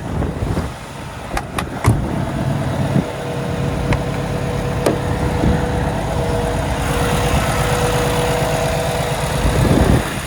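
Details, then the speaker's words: 2017 Kenworth T680, Cummins ISX diesel, automatic, 577 miles, checked at idle for leaks and fan hub: steady even idle with deep low drone, no knocks or misses; healthy. "We'll have a listen to the engine running. We'll make sure the fan hub is free and clear and there's nothing else dripping underneath this truck, and then I'll shut her down."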